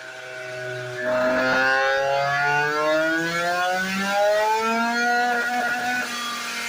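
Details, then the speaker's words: Two-stroke scooter with a freshly built Malossi 94cc Testa Rossa, second dyno pull: revs steadily, with faint pops and crackles near the top end. Owner suspects the main jet is slightly lean and plans to richen it and add advance. "Et tu l'entends en haut qui pétarade un petit peu. Donc peut-être qu'il est un petit peu pauvre sur le gicleur principal"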